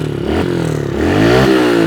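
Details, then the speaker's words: Kawasaki KLX110 pit bike after new pipe, airbox and fuel and idle screw adjustment, about a turn and a half out: single revs crisply through repeated throttle blips with no stumble; now revs out fully, unlike before. "It actually revs out too. Remember last time it wasn't revving out. Oh yeah, dude. Runs so crisp now."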